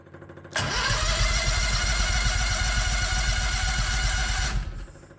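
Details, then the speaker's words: 1969 Renault R10 with a 670cc Predator V-twin, manually choked carb, started via electric starter: catches, then a lumpy, slow low-pitched putter around four beats a second; idle sits too low while the engine is cold. "not bad oh it sounds like the idle's too low me it'll do this when the engine's [Music] cold"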